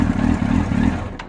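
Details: Motorcycle in neutral, no codes, after fuel pump, filter, lines and battery replaced; fires and runs lumpy about a second then dies, won't rev; owner suspects neutral switch. Engine stalls shortly after starting.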